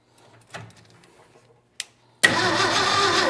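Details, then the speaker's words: 1967 Ford F-100 with a swapped 240 inline-six, first start with the carburetor, distributor and plug wires installed, fed by an electric pump from a gas can: faint clicks and cranking, then it catches into a loud, ragged, sputtering roar. "Heat. We got something here. Okay, we've got action. All right, let's hit it again. See if it'll run."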